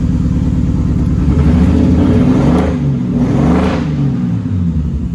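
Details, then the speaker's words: Nissan R33 RB25DET Neo: the engine runs rough, its note sagging and stumbling as it loses a cylinder after oil pressure dropped and it began dying. It was shut off; the cause of the misfire was not yet found. "Just lost a cylinder. Alright, I'm turning that ass off."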